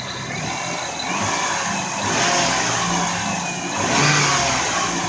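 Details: 2000 Lexus RX300 engine after replacing the alternator, which had burned-up windings and a loud whine: revs up and settles smoothly with no high whine rising alongside. Normal engine revving without alternator whine.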